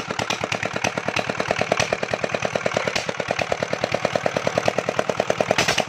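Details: Small single-cylinder generator engine after tappet (valve clearance) adjustment: quick, even, steady firing beat with no odd knocks or misses. Normal, healthy running.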